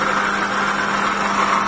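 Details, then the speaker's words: Toyota Calya at idle: steady harsh whirring with a constant high whine in the engine bay. The noise seemed loud near the alternator. "Kalian Dengar suara kasar di area mesin the landscape kita dengar suaranya Suaranya sangat besar sekali ini ya"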